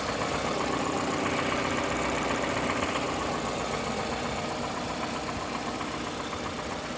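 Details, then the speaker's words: Toyota 1AZ-FSE D4 VVT-i direct-injection engine, 160,000 km, at idle: fast even ticking tap about four per second over a hissy note, present for months, not worsening, disappears at high rpm; source unclear. "hey guys so at hidle I'm hearing a knocking or pinging sound in my engine I'm not quite sure if it's the lower part or if it's the upper part but at high RPMs the sound tends to disappear"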